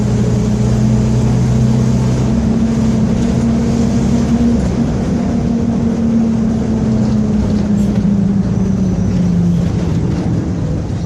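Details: Onboard a Torino 2014 diesel city bus on a Mercedes-Benz OF-1721 BlueTec 5 chassis, recorded 2022, under way: a low droning roar with a steady tonal hum that shifts with road speed. Roaring worn differential.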